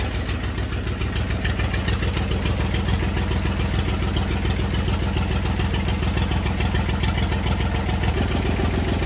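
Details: Massey Ferguson 35 diesel tractor, sat in woods 20+ years, revival start with leaking radiator, water and fuel leaks: steady, even diesel clatter at idle, no misses or knocks; engine running normally.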